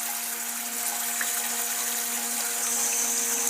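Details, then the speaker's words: Old toilet cistern refilling after a flush: a loud, steady foghorn-like drone under rushing water, traveling through the pipes and audible from the street at night. "Yes, it's like the Titanic has arrived. It's like the Titanic has risen. Now that noise, yeah, in the middle of the night, you can hear it from outside of the street. That's how loud it is. And the noise is travelling through the pipes"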